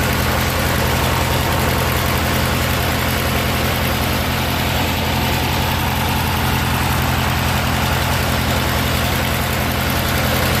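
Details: Murray 16 HP Briggs & Stratton opposed-twin riding mower, started after a carburetor and fuel pump rebuild and fuel system clean-out: steady, even low thrum with no misses or knocks; normal idle.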